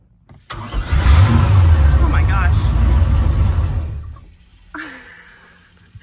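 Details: 2003 Malibu Sunsetter boat that sat over a year, cranked without cooling water: starter cranks briefly, then the engine catches and runs strongly a few seconds before shutting off; starting system works.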